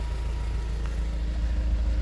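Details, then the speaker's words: 2004 Honda S2000 with 109,000 km: low, even idle with a steady beat and no ticking, misses or rough surges; no smoke seen at startup; normal idle. "It seems to run pretty smooth. I don't hear any real issues. Didn't see any smoke or anything like that when we started it up."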